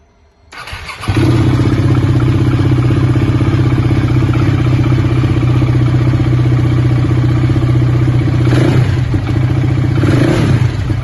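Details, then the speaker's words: 690 single-cylinder with a no-start complaint, cold start: fires on the first try and settles into a steady, slightly lumpy cold idle about four beats a second; the no-start fault isn't heard here, cause not identified. "I'll just start the bike up now, just so you know it's cold."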